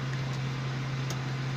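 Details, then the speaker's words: 2012 Suzuki Cultus EFI, just started cold after cleaning a rusty, blocked throttle body to cure misfiring and stalling: smooth, even hum with no stumble, raised idle at 1500 rpm, expected to drop as the engine warms. Normal cold fast idle. "RPM ये दिखा रही आपके सामने 1500 यह जैसे ही temperature maintain होगा यह अपनी जगह पे आ जाएगी।"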